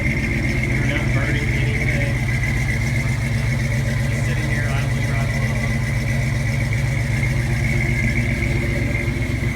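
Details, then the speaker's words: 1978 Dodge Ramcharger, 59K original miles, cold and not warmed up, idling a little high until gas pedal is pressed, no smoke: steady, even cold fast idle with no knocks or misfires; healthy engine. "As you can hear, it's cold right now. It hasn't been warmed up. It is idling a little high."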